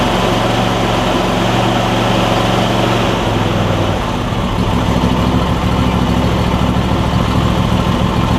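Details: Replacement Briggs and Stratton V-twin on a John Deere E140, unrun for probably at least three years: steady, even, unbroken chug without knocks or misses; smokes slightly, owner suspects oil in the muffler; normal running.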